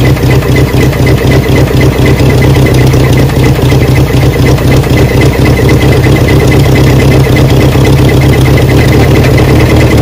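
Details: Barn-find 1979 Honda Prelude (sat for years), restarted after topping up slightly low oil. Rough, loud idle with a deep repeating thud about two per second, which owners call a bottom-end rod knock.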